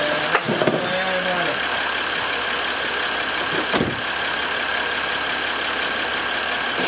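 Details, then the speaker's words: Ford F150 after swap of the 272K-mile 5.4 engine (cold start rattle) for a remanufactured engine, idling: steady hissing whine from power steering pump, reservoir found empty, low fluid, pump sucking air. "you did you did top off the power steering too right yeah well I I did before we started it's it's it's empty we need some more okay it's blowing"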